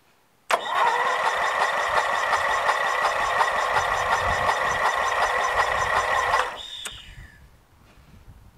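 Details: Toro Wheel Horse lawn tractor with Briggs & Stratton flathead engine, after removing a mouse nest and fitting a new battery, cranked with the spark plug removed; brisk even starter whir about six seconds with light rapid pulses, spinning freely with no firing: cranking without start.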